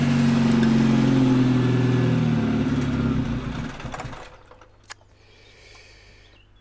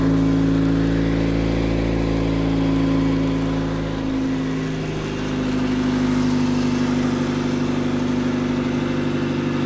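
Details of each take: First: V2 generator/cogeneration unit on test run with heat exchanger connected: steady engine drone sags and fades then cuts out; fuel supply problem, gas setting turned up afterward and running improved. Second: V2 engine generator/cogeneration unit after fuel setting moved to the fourth position: steady even engine drone with a smooth unchanging beat, a few handling clunks near the end; runs better after the fuel adjustment.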